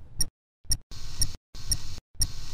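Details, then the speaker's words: MiniMed 530G insulin pump filling its tubing, with act held to advance the piston while the infusion set is disconnected; a steady train of short high-pitched beeps about twice a second, a normal priming sequence. "press and hold act to move the piston forward you will hear a series of beeps as the piston moves forward"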